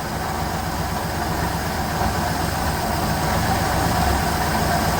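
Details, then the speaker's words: 1969 Chevelle V8 barn find, not run in at least 30 years, running off a gas can, vacuum advance canister not working: steady, lumpy but even idle without misses or backfires; timing about right. "Well, it's not running too bad for an engine that hasn't run in 30 years."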